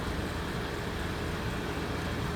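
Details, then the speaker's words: 2005 Acura MDX after fixing power steering pump whine caused by low fluid (another bottle of fluid added); engine idles while the wheel is turned lock to lock with no whine or groan, steering now quiet. "and no noise, and we good."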